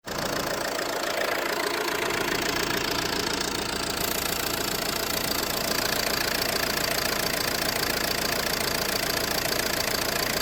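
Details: Ford C-Max at idle: steady, fairly even light knocking about three to four per second over a busy idle; owner suspects the flywheel, source unconfirmed.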